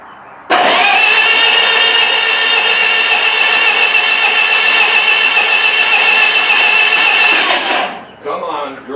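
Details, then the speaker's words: Miller Wildcat 350D diesel engine welder, auction buy previously inoperable, cranked on a bigger loader-tractor battery; seven seconds of steady starter whine with some smoke and popping but no catch; cranks but will not start, fuel supply being checked. "Well, we're making a bit of smoke and we're doing a bit of popping, but she doesn't want to go."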